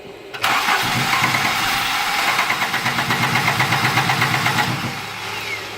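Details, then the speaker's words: 1983 Volvo 244 after LH2.2 and EZK upgrade with many new parts, distributor moved around, both fuel pumps running: starter cranks evenly about 2.5 beats a second with a faint sputter, never catches. Crank no-start. "I've moved the distributor all around. It does the same version of that anywhere within a reasonable range where it's at. Yeah, all we can get is a little sputter"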